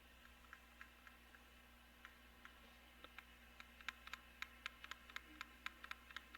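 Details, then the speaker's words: Nintendo Switch controller ZR trigger after repair (epoxy-fixed plastic piece sanded so the clamshell no longer depresses it): crisp, even plastic clicks about four per second; trigger now clicks properly. "you can hear that it's clicking now which is good"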